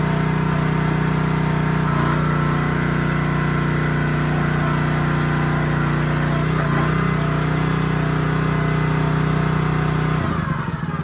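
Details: Honda GX160 on a SplitFire wood splitter after carb cleaning and oil change for bogging and stalling when splitting, test-splitting wood: steady, even single-cylinder drone holding speed through the cut, no hunting or surging; running healthy.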